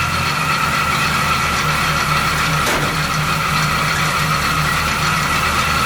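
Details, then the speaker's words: 1970 Chevy C10, 350 small-block with recently replaced water pump, at idle, heard by ear: constant higher-pitched rotating whir over the engine; water pump suspected, source unconfirmed. "it definitely has some kind of rotary noise it definitely sounds like it's time from the water pump"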